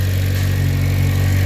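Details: 8th gen Honda Civic Si with new Fork can muffler, test pipe and PRL header, exhaust leak fixed: loud, deep, steady idle, smooth and even with no misfire or knock; engine healthy.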